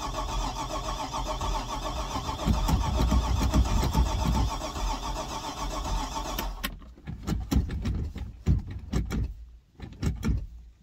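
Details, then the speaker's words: Stingray cuddy cabin boat, first start attempt after floating off in Hurricane Ian with a fresh battery dropped in: starter churns steadily about six seconds, no firing; fuel squirt possibly heard, owner confident it isn't hydrolocked. "trying to see if I hear some fuel squirt I think I do now definitely didn't wasn't like it was hydrolocked or nothing"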